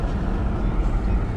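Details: 2015 Chevy Malibu, formerly no crank/no start with battery drain and no communication, driven after ECU programming: steady even low engine drone with no misses or knocks; running normally.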